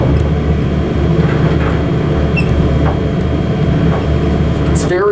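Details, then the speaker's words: Original 1960s Dover traction elevator, Carlton Building, Colorado Springs, worn and prone to power stops. Ride from inside the car: low steady rumble with scattered light rattles and knocks. Rattling and bumpy ride. "bumpy and rattly but and it does power stop but i say it gives it character"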